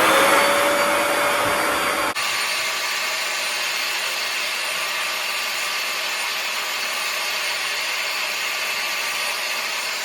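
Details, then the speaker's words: Bissell ProHeat 2X Revolution Pet Pro on wet setting cleaning a couch: hissing spray of cleaning solution for two seconds, then trigger released and a clean cutover to constant high suction whine extracting dirty water; running smooth and steady. "And then once you've covered your spot in cleaning solution, then you're just gonna go ahead and let go of this, and that will suck up the extra water, the dirty water that's sitting in your upholstery."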